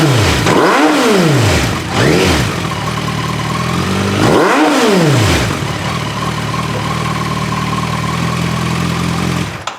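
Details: Suzuki Bandit 1250 FA, 62,000 miles, fresh oil, stage one tune (snorkel removed, secondary butterflies retained), repaired Holeshot slip-on exhaust: inline-four blips cleanly from idle to high revs and back, settling to a smooth idle with no clicks or clatter.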